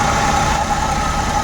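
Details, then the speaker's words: Suzuki Every Wagon (DA64W) after fixing misfire that caused strong engine vibration: steady, even, smooth idle with no shake or stumble, also with aircon running; running cleanly on all cylinders. "Ayos na yung andar Oh wala ng vibration napakatahimik na ng makina"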